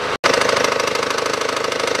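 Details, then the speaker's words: 2012 SsangYong Actyon 2.0 diesel, manual, 4WD, 77,000 km, idling with AC compressor on: fast steady knocking from below, about twenty beats a second; worn drive belt tensioner, replaced. "звук когда candy кондёр включается звук появляется стучащий пробег на автомобиле 77000 2 литра дизель механика полный привод"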